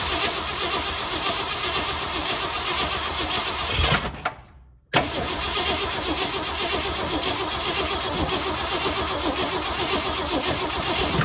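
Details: 1967 Ford Galaxie 500 sitting since 2008: cranks, catches and runs rough for a few seconds, cuts out, fires again briefly, running only on a little fuel poured into the carburetor; fuel line not yet plumbed in.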